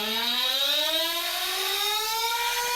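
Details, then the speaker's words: ProTek-RC .21 Samurai RM nitro engine on dyno, 4th heat cycle, OS TB02 with 75 mm manifold, Nitro Pro JTP fuel; top end richened a quarter turn: high screaming tone wavering and rough, breaking up; running rich on top. "So it's clearly rich now on top. You can hear it breaking up."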